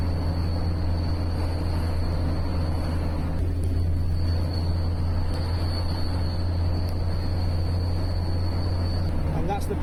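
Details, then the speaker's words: Mercedes 410D front near-side wheel bearing, camera on the chassis aimed at the wheel during a 10-minute drive; grumbling grinding became a constant ring. Heavy droning road rumble with a thin, steady high-pitched ring. Worn front wheel bearing. "you can see the wheel spinning but you can hear the bearings constantly ring"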